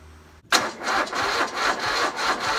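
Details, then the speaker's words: Riding lawn mower being hotwired without key; starter spins it in a quick uneven chug but it never fires. Crank no start, suspected lack of fuel, carb cleaner planned. "be H doesn't sound like it wants to start sounds like it's not getting fuel just need a little uh carb cleaner"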